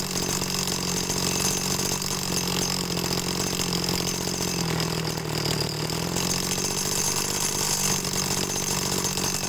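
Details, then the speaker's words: TU26 two-stroke agricultural sprayer engine with high fuel use, during carburetor tuning: idles evenly, revs cleanly to high speed twice, then shuts off; a faint clutch lining tick underneath, which is harmless. "nah cuman di sini kendalanya ada suara kemelitik di bagian kampas ya nah jadi itu tidak jadi masalah ya"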